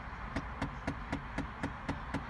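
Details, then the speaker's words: Chevrolet Impala, just started: steady light tapping about four per second from behind the dash, passenger side, from a failing AC blend door actuator. "you hear that tapping noise? That is in the AC actuator. They're on the passenger side of the car."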